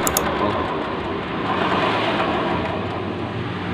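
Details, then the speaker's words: Honda Vario 125 scooter, rear wheel spinning: steady, harsh, gravelly roar from the CVT drive, very noisy; mechanic attributes it to worn pulley bearings, rear or front pulley, before disassembly. "Jadi untuk CCTV yang kasar sekali ini kerusakan ada di apa ini, di laker puli, di kaca puli ya. Jadi kalau untuk jalan itu kasar sekali, suaranya sangat berisik di CCTV-nya."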